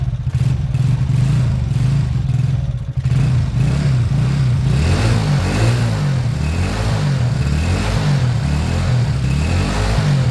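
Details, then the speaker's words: Beaten-up old Lexmoto bike after the carb fuel feed was fixed: it cranks, catches and settles into an even idle, and blips rise and fall cleanly with no misses or rattles. Normal idle and revving. "I'm going to let that idle for a good 5 minutes I want the oil to circulate I want everything to loosen up so far that sounds good"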